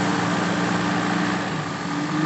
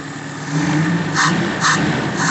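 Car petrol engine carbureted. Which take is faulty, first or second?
second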